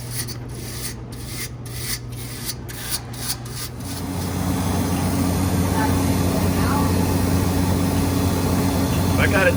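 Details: 100-pound ice machine: rapid rhythmic scraping squeak, about three per second, then an even motor hum near the condenser fan; technician suspects loose metal rather than the fan motor, unconfirmed.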